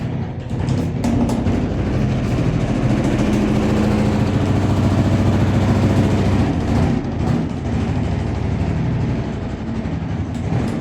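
Loud, heavy rumbling and thumping with an uneven pounding rhythm as the drum spins fast; the machine is vibrating hard. Cause suspected, not confirmed.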